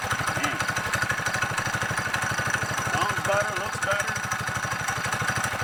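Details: 55-year-old mini bike with a new custom undertail exhaust made from saved parts: a quick, even putt-putt from the small single-cylinder engine, firing steady with no misses or knocks; runs clean and healthy.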